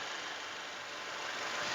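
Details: 2014 Toyota Innova G 2.0 petrol manual: starts on the first try and idles with a steady, even hiss-like sound, no knocks, ticks or misses; the engine is dry with no leaks, a smooth idle.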